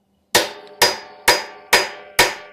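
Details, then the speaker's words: Junkyard GM 12-bolt rear axle for a 1986 Chevy C10: six sharp evenly spaced hammer blows ring solid as the new seal bottoms out and is fully seated. "all right you hear that it's bottoming out so now we know we're in there"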